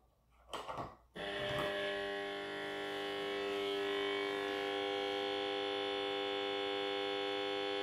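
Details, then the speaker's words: UNION AUER Unalux 681 street lantern (1970–1977), 125W mercury (BF) lamp, E27, 220V 50Hz, ferromagnetic ballast with capacitor: loud steady buzz right at switch-on as the old lamp starts slowly; normal ballast hum during warm-up. "Waouh! Oh, le bruit que ça fait! Donc là, elle démarre tranquillement."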